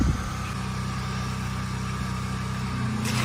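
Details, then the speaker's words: Generator powering a septic pump control box, sump pump float lifted: steady low engine drone dips slightly as pump load comes on, then holds even while water level drops; normal generator running under load. "Yep, there we go. I hear the generator come down and the water level's dropping."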